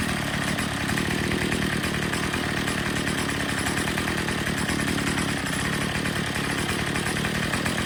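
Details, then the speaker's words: Troy-Bilt TB22 EC weed eater at full throttle during a tune-up (air filter cleaned, low-speed screw already set) while the high-speed mixture screw is turned for maximum rpm: a steady, high-pitched scream with no surging. Running great. "what we're going to do is we're going to full throttle it and then we're going to turn that in or out just listening for that maximum rpm"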